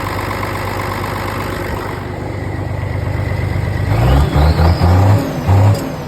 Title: No starting fluid - no start